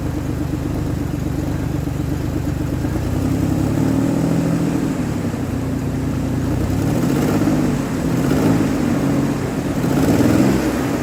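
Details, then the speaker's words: 2003 Ford Explorer V6 after misfire repair (coil replaced): low, fairly even rumble at idle, running smoother than before, and smoothing right out when revved under throttle. "Running smoother than it was. And once I put some pressure on it, it smooths right out. I like it."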